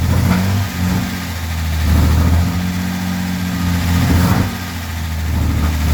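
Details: Armstrong Siddeley Star Sapphire-engined sprint special, first run in probably over 40 years: smooth, even revs that rise and settle back cleanly with no misfire or knock; running remarkably sweet and healthy.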